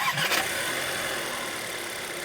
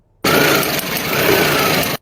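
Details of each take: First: 再听一下发动机正常启动的声音。这下你知道怎么判断了吧？ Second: Car engine running briefly with a rough, uneven crackle through the note, demonstrating a failing ignition coil sound.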